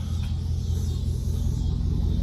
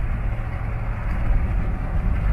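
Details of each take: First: 2001 Chevrolet Suburban V8 idling after a misfire tune-up with new spark plugs and wires: steady, even low rumble with no stumble or skipped beats; idles smoothly and sounds healthy. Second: 2001 Suburban V8 idling with a low, uneven, stumbling rumble from a misfire, check engine light on; awaiting new spark plugs and wires.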